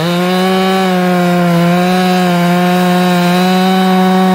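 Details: Chainsaw restarted after carb tuning: holds a clean, steady high-revving scream with no hesitation or four-stroking; a properly tuned saw pulling well.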